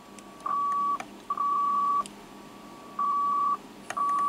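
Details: Yaesu FT-747GX with intermittent receive, antenna jack already fastened: a steady tone near 1 kHz cuts in and out with clicks when the board is touched; owner suspects soldering on the low pass filter board or the antenna switch.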